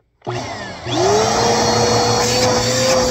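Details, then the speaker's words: 2191 vacuum after washing and reassembly, tested with brush roll and dust cap fitted: motor spins up to clean steady whine, brush roll turning smoothly without rubbing or slapping; works perfectly. "Seems to work pretty well. Sweet. Okay. So that works perfectly."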